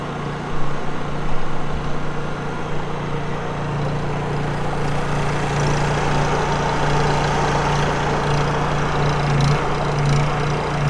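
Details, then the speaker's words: Honda EU3000is inverter generator just recoil-started on the first pull with choke, exhaust on the back side: smooth, even low hum and steady drone with no knocks or misses; quiet, healthy idle. "Look at that. First pull. See how quiet that is? Exhaust on the back side there."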